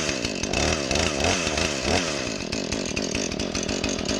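Warm saw holds a crisp, steady high buzz with even firing and no stumbling or surging, running healthy.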